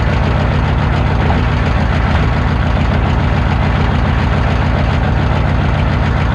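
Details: Naturally aspirated three-cylinder diesel (owner believes a 201) with offset reduction starter, cold start: loud, even clatter at steady cold idle with no misses or stumbles; normal cold-start clatter.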